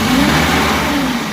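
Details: Carbureted Suzuki (Mehran/Bolan type) engine when starting: the engine races at a fast, fairly constant speed with no throttle blips, sitting well above a normal idle. High idle speed at startup, a carburetor idle issue.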